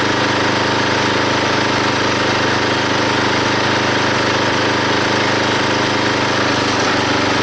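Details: Log splitter small engine driving the pump by belt, after fitting a homemade spring-loaded idler arm because the belt flew off: runs hard and steady with even rapid beat while splitting a log, no stalling or belt-slip squeal; normal running under load.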